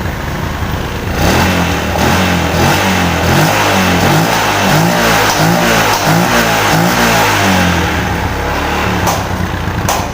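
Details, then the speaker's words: Yamaha Jupiter MX (new, double disc) after a hard-starting, intermittent ignition fault was repaired: it starts on one kick and revs in smooth, even blips with a crisp exhaust pulse; the engine smokes, but ignition is healthy. "Oke teman-teman ya, untuk motor sekarang sudah normal, sudah enak dihidupkan, sekali engkol pun juga hidup."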